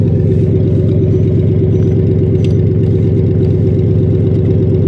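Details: Cadillac limousine abandoned for 10 years, idling with its catalytic converter chopped off. Loud, raspy, unmuffled idle with a fast even throbbing pulse. Open exhaust.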